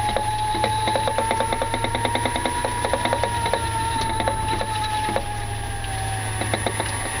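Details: 2018 Nissan Leaf, lapel mic taped to front member under bonnet while driving: rapid irregular ticking knocks about three per second over faint motor whine; new front-end knocking fault, cause unconfirmed.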